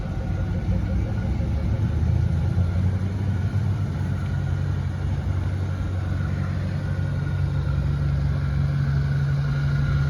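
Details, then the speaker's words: Blue Mustang Mach 1, 32-valve V8: deep, even burble at steady idle with no misses, ticks or knocks; healthy engine. "now let's go enjoy the blue one for a little while pay attention to this 32 valve bbal idle"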